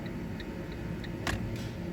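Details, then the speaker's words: Fiat Punto, ignition on after cleaning contacts with contact cleaner: light even flasher clicks about three a second over a quiet background; indicators working again, airbag unplugged. "but yeah I'm happy with that we have the indicators working on this P up nice one"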